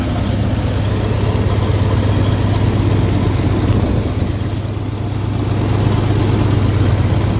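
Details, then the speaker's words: 1962 Dodge M37 truck, first run after 40 years sitting, on temporary fuel feed with accelerator pump probably not working: deep, steady low rumble, even beat about two pulses a second, no misses; normal idle. "idling. [Music] Pretty quiet. Not bad at all."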